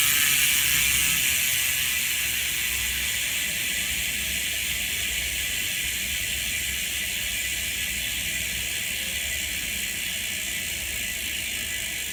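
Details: Ultrateam 2018 Ceramic wheelset freehub (6 ceramic bearings front and rear, carbon rim, Pillar spokes), coasting: fine, fast, even ticking easing off as the wheel slows, crisp and smooth; normal healthy freehub clicking.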